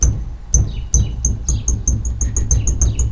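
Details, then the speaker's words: Tailgate hinge on a roughly 20-year-old Dodge Dakota R/T: sharp high chirping squeaks about once a second as the tailgate swings, the bare hinge pin squeaking because its bushing was moved to the other side; the only squeak on the truck. "So there's the tailgate. Like I said, I stole the bushing out of that side, put it over here, and then this is a squeak."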